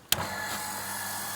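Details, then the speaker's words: Gianz QB60 peripheral water pump drawing from IBC container/rainwater tank, primed, hose open; switch click then steady even hum with high hiss of flowing water; starts cleanly, runs smoothly with no leaks. "and there's the water. Unbelievable. Yeah, it's all working fine."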